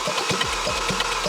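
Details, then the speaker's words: Audi RS3 engine cranking before rebuild, bought as a non-runner: fast, light, even spinning with no compression pulses or resistance; timing chain failure left zero compression. "what happened to it it had a timing chain failure and as a result the car has zero compression"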